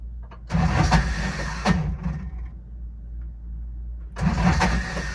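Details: Older Intimidator diesel UTV in park with a touch of throttle, cold: two long bursts of labored cranking with a pause, won't catch; owner blames worn starter bendix and suspects faulty glow plugs; larger battery fitted.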